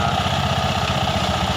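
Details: Fuel-injected scooter after CVT bearing replacement and cleaning: coarse uneven rattly churn from the belt-drive side at idle; rough mechanical noise from engine or CVT, cause suspected, not confirmed.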